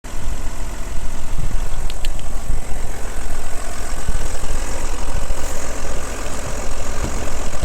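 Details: Audi allroad at idle: loud, steady idle with a heavy, rough low clatter throughout, noisier than it should be. Excessive engine noise, cause unclear.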